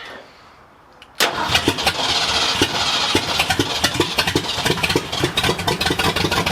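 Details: 1979 Ford F-250 with brand-new 351M V8, first start after storage: catches after brief crank, runs loud but lumpy with uneven pops and surges, no clean idle; owner can't get timing right, carb was gummed up from storage.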